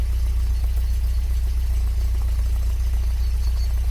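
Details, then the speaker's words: MGB GT idling after valve clearance adjustment: low throbbing idle, about three to four beats a second, now smoother and more consistent, though slight unevenness remains, possibly water. "seems more consistent still getting quite a little not sure what that is actually it feels like water anyway that that seems a bit smoother to me which is good"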